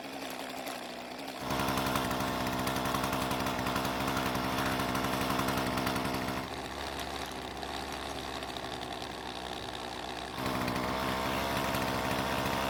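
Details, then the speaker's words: Husqvarna string trimmer with a new aftermarket carburetor, unadjusted out of the box: starts properly, then a crisp, even two-stroke buzz that revs cleanly from idle to wide open throttle and settles back without stumbling. Normal running. "all right so that's all the testing I need to do and the reason why is because it started the way it was supposed to revved from idle perfectly and sounds fantastic at wide open throttle"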